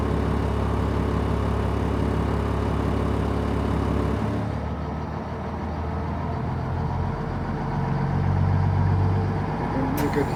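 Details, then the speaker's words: 2003 Stewart & Stevenson M1078 diesel truck cold start: deep, steady idle shifting its beat as it adjusts itself; normal settling, air pressure building, pop-off valve heard. "the idle adjusting itself somewhat here."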